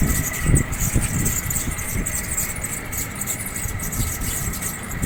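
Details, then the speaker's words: 1.5-ton split AC outdoor unit fan before repair: uneven rumbling knock with faint high squeal; fan motor bearings are worn, later replaced. "Bearing खराब हो गए हैं जिसकी वजह से ये आवाज कर रहा है।"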